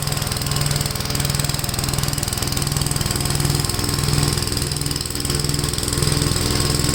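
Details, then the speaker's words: Gravely tractor running a brush hog mulcher after PTO clutch adjustment and kit assembly, blade spinning: steady, even pulsing drone of engine and blade, no knocks or shudder, smooth with no vibration; normal running. "wow if anything this sounds cool plates are still spaming well it runs really uh smooth no vibration"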